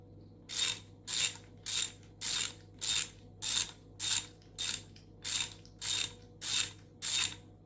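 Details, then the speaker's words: Repaired old ratchet driving a bolt with a socket: crisp, even bursts of fine clicks with every stroke, the pawl catching cleanly; it tightens and loosens properly after reassembly. "you can hear it clicking i love the clicks very fine and what works well okay"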